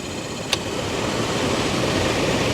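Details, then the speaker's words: 2004 Toyota Tundra, newly replaced HVAC blower motor during an amp-draw test: a click, then a smooth, steady rush of air with no rubbing or ticking. The blower runs cleanly. "with the new fan going to plug this in and do the same resistance test see what kind of amps the new motor was pulling and see if it's any different than the old motor"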